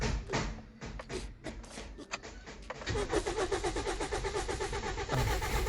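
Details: Toyota Vios that will not start: the starter cranks at about four beats a second with no catch. The engine is getting no fuel because the pump has failed, and the fix was a new fuel pump with filter. Crank, no start.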